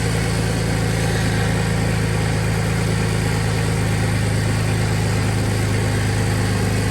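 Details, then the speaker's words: Audi at steady idle right after welding the exhaust flex pipes, with a faint quick puffing tick over the exhaust note; small exhaust leaks, one on top. "I got a little leak on top. Keep running? Yeah, keep it going. A little leak right there. And little leak right there."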